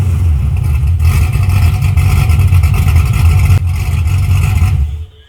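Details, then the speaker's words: 1981 Camaro just after top-end swap (roller cam, aluminum heads, new intake), open headers, timing and carburetor not yet set: deep, loud rumble holding steady without misfires or knocks before switch-off; normal idle. "But I ain't got the exhaust on it, it's still open headers. But so far, sounds pretty good. I ain't set the time on or adjust the carburetor or nothing yet, but it's pretty close."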